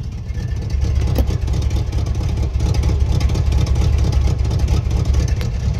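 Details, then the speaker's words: Holley 750 carburetor V8 at idle with idle mixture screws 1¾ turns out, running rich; deep, hollow, lopey exhaust note like a lopey cam, exhaust smoking a little. "all right so right now i've got it at one and three quarters of a turn out it's definitely running rich"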